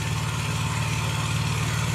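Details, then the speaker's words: Honda EB6500 generator after sitting for years, following carburetor rebuild, valve lash and ignition adjustment, on auto throttle without choke: steady even low hum with smooth firing and no knocks or hunting; normal idle. "And I'm not going to choke it again. Let's see if she just runs. down to idle. Sounds good."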